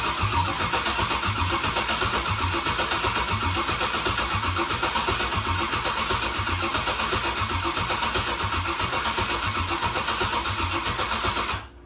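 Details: Turbo Silverado V8 tuned on E85, after #7 ring land failure, rebuilt with new gapped rings and ARP rod bolts: steady even run with regular low pulse about four times a second, no knocking, then shut off; normal running.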